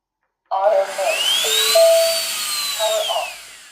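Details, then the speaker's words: Tineco Floor One S5 wet vacuum suction motor, previously not running (error) because rust seized the blades, after freeing the blades by hand: starts cleanly, winds up to a high steady whine, coasts down evenly without scraping. "And as you can see, this fix was easy because the blades are stucked because of of the rust and I've turned the blades and now it's working."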